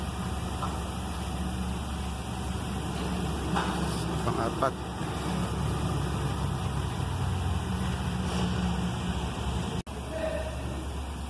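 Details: 2011 Toyota Land Cruiser being repaired for a no-crank, no-start fault with no engine light: steady low engine rumble at an even idle with no knocks, misses or hunting; engine running normally.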